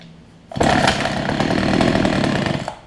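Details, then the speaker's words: Older Homelite two-stroke hedge trimmer, new fuel lines and primer bulb, strong spark: snarls about two seconds with ragged wavering note, hunting; owner suspects fuel delivery issue, adjusting low and high speed jets. "got a fuel delivery issue somewhere I think I just got a much had to adjust the Jets shown that burton's it below in the high speed"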